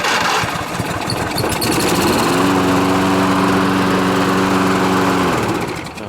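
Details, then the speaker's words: Lawnmower electric start powered by jumper pack after its battery was found dead flat: brief cranking, then it catches and runs smoothly and evenly for several seconds. "that's good so that works if the battery's no good I won't buy one and put one in it"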